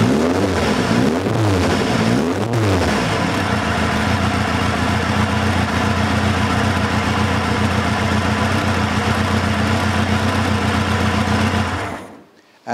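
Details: Van Diemen RF85 race car engine after a rebuilt starter shaft, first test with a low battery: a few quick throttle blips that rise and fall cleanly, then an even, steady idle until switch-off; normal running and revving.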